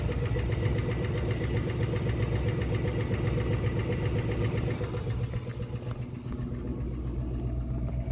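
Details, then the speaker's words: 1966 Ford Mustang 289 V8, found with no oil and black oil: heavy regular knock about four times a second from oil pan area with lighter top-end tapping; spun rod bearing. "So that's knocking to me. I've heard a lot of spun bearing engines. I've blown up a few engines myself racing and that's that that's bad."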